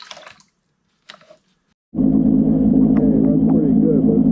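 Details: Johnson 6hp outboard, after correcting a too-low carb float that ran the bowl dry, replacing the fuel pump and fuel lines, catches after a silent pause and settles into a steady buzzing run without stumbling; engine running.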